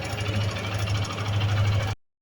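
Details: Suzuki Gixxer motorcycle engine running: rapid, hard metallic tapping over a low, rough engine beat throughout. Knock from inside the engine, cause not identified.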